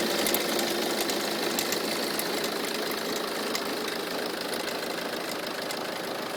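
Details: Peugeot 307 2.0 HDi 90 hp diesel at idle: sharp, fairly regular tick about three times a second over the clatter; owner suspects the alternator area, possibly its pulley or tensioner, unconfirmed; knocking noise at idle.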